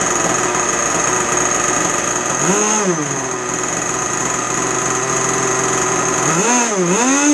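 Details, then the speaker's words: Two-stroke RC boat engine on the bench at its needle bench setting, with no load and below full rpm: a high buzzing idle rises cleanly in pitch on two blips and drops back. Normal bench run. "So that's what I would call a bench setting. Very, very simple. You don't want to rev it to the full, that was not full RPM."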